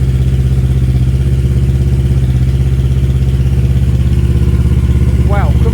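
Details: Auction-bought Kawasaki KLE 650 A7 twin warming up, choke then off, loud exhaust needing a baffle. Steady low twin-cylinder thrum, even firing, no knocks or rattles: normal idle.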